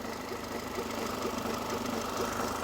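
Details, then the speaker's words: 2002 Mercedes A-Class, warming up at idle (no temperature gauge) before adding oil conditioner: faint steady light knocking about twice a second; mechanic found crankshaft play, pulley has no play; crankshaft knock at idle. "i'm annoyed i mean when i got the news i was so annoyed and i was like are you definitely sure is not the pulley and he's like yes i've checked the pulley there's no play in the"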